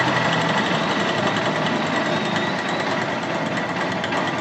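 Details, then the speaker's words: Honda Shine CB 125 single-cylinder motorcycle just fitted with a new diaphragm carburetor and charged battery, starting on first crank and settling into a steady, even idle with fast regular beat, no knocks or misses: normal idle. "First सेलमध्ये मित्रांनो गाडी सुरू झालेली आहे. तुम्ही बघू शकता एकदम परफेक्टली"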